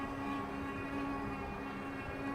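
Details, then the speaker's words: Engwe Engine Pro e-bike, 1000W peak hub motor, 48V battery, riding and accelerating: faint steady mid-pitched whine over tyre hum; normal hub motor whine. "Now let me kind of get away from the guys that are mowing the yards out here, because I do want to talk about the motor. There's a little bit of a whine to it."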